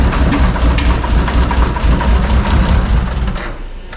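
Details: Toyota 2JZ inline-six, previously running rich, needs throttle held to barely idle: lumpy uneven idle pulsing about twice a second, barely running, several cylinders dead; misfire.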